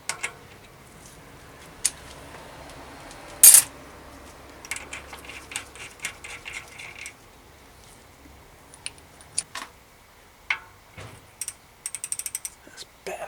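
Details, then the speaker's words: 2005 Orange P7 mountain bike after fitting a Shimano Deore 1x10 drivetrain: light, crisp freewheel ticking and clean chain movement with no grinding or skipping; drivetrain now sounds properly adjusted. "okay that's what it should sound like"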